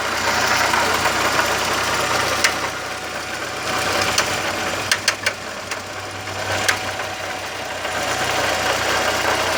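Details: VW Gol "bola" 1.0 petrol engine at idle with uneven sharp ticks and knocks popping out about every second; the noise began recently and the owner doesn't know the cause.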